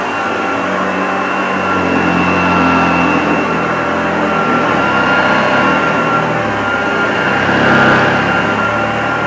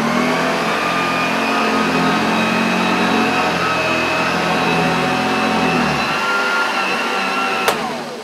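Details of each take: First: Unused 1975 Hoover Junior 1346A upright vacuum cleaning carpet: steady whirring motor with light airy rush and faint brush flutter, even throughout; lovely vintage sound, healthy, slight struggle thought not the motor's fault, new genuine belts would probably help. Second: Unused 1975 Hoover Junior 1346A upright vacuum, running with brushes and beater bar: steady high whine with brush roll rumble, then cuts out abruptly, labouring; owner suspects the belt rather than the motor.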